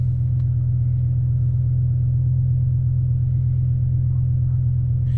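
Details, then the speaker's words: BMW E60 M5 with S85 V10 running rough after codes were cleared: deep, loud rumble with an uneven beat around 170 per minute. Codes showed cylinder cutoff and misfires, including cylinders 3 and 4, plus an unplugged acceleration sensor; misfire suspected, not confirmed. "let's reset it let's see it so I don't rough right now let's see if it'll smooth out"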